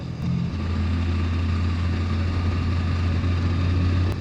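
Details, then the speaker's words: 27-year-old Hero Honda Splendor Plus running on E20 ethanol fuel, accelerating: low even exhaust drone pulling up smoothly with no popping, jerking or knocking; mixture and plug set right, normal running without misfire. "तो आपने आवाज सुन ली कि मेरी motorcycle कहीं से झटका नहीं ले रही है।"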